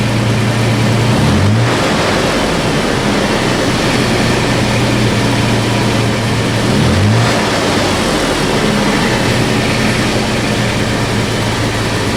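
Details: 2012 Toyota FJ Cruiser with new MagnaFlow cat-back exhaust replacing rusted OEM system: smooth deep idle with two quick clean revs, no rattles or leaks; throaty normal exhaust note.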